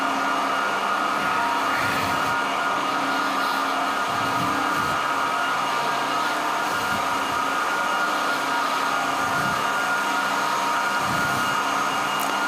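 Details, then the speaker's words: SAQ Grimeton 1924 Alexanderson alternator VLF transmitter, cooling fan number one (star-delta start) running with air inlet open, hissing air blowing into the high-power relays; steady airy rush and constant hum, no rubbing or rattling; normal fan running. "So the fan is also started with a delta y control. And now he also open the inlet of the air. And now we can hear the hissing noise from the air blowing into the relays, the high power relays."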